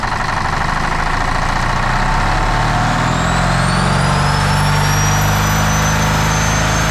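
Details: 1977 Peterbilt 359 diesel started after sitting 20 years, glow plugs possibly not working: heavy roar climbing steadily with a rising high whine as revs run up on their own, diesel runaway.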